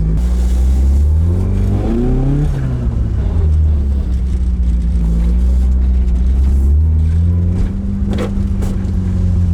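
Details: Carbureted AE86 four-cylinder on a temporary throttle setup: it revs cleanly through several rises and drops without stumbling. It is now running right, and the owner concludes the Weber carbs were the earlier problem. It is still slightly smoky, with a coolant leak.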